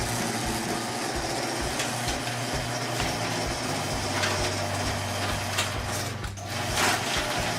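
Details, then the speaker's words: Garage door opener during a home-inspection reverse-resistance test: a steady motor hum with gear and chain rattle and a brief dip as the door reverses. It runs smoothly and reverses properly. "now we're going to test the resistance if it will reverse"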